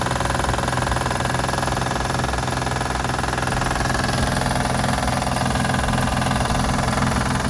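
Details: 2006 Acura TL Type-S 3.5 V6 idling with a regular light knocking tick like lifters or valve knock, actually coming from the timing belt tensioner.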